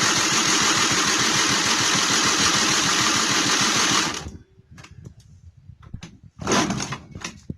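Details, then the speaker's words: 1999 SYM Jet 50cc two-stroke scooter, previously non-running (no spark), after exhaust refitted: buzzy high-pitched rattle running steadily about four seconds before shutting off; it starts and runs fine. "the answer to will it work yes it will"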